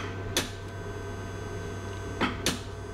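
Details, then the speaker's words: DNA synthesizer in normal operation: a steady low hum and hiss from fluid flowing in the pipes, broken by three sharp clicks from the solenoid valves switching. "when the machine is working it creates a continuous noise with a click like noisy sounds once in a while"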